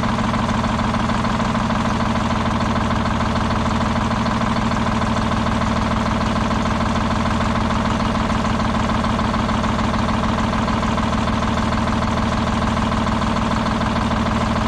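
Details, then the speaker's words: Old Detroit Diesel 6-71 two-stroke, last run before removal: loud idle with an uneven, lumpy beat and a skipping pulse; one cylinder not firing, misfire seemingly getting worse as it runs. "mmm it's almost like that it's getting worse as time goes on"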